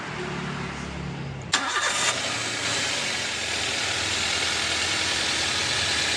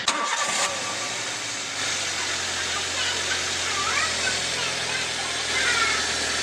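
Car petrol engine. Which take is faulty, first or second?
first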